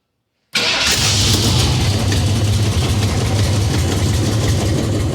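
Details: 1969 Ford Mustang coupe V8, first start after sitting 24 years, with hardwired ignition and fuel fed from a fuel cell, no fuel pump: quiet, then it catches and settles into a steady, deep, even idle with no knocks or misses.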